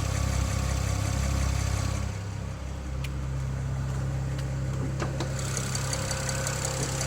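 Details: BMW N54 petrol engine idling smoothly with faint, fairly regular light ticking, about three to four a second, heard from one side of the engine; source unknown.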